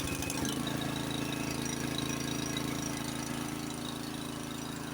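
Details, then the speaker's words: Honda snowblower pre-storm check, electric start with choke on: brief starter churn, then engine catches and settles into a steady, even drone; starts cleanly, normal. "I got electric start on this. Let's see if it will work. Put the choke on."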